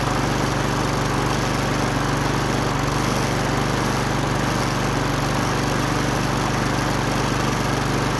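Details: Wolf TB46B lawn mower, household-clearance find long retired for not starting, test run after fuel turned on and carburettor float bowl filled: steady, even single-cylinder putter at constant speed, no misses, surging or knocks; runs cleanly.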